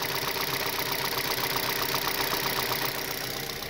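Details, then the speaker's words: 2006 Mazda 6 petrol engine idling, recorded close to cylinder 3: light, even ticking about four times a second from noisy hydraulic lifters, heard as revs drop toward 1,100–1,500 rpm; owner cured it with oil additives. "I don't know when you can hear when my revs go down uh maybe towards 1,100 or 1,500 try to hear a little ticking noise hear that that's that taking noise"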